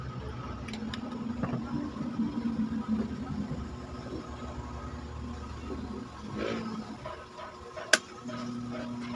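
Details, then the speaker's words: Standard-brand stand fan after repair, its loose bushing fixed, running at speed settings one and two: soft, steady low hum and even airflow hiss with no rattle or grinding; before the fix it hummed without spinning and was very noisy. "hindi na siya umuugong at pag umikot a wala ng ingay"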